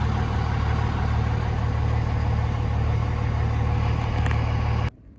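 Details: Older diesel truck started after kill switch installation, check engine light cleared; steady, deep idle with even, regular clatter until shutoff; normal healthy idle.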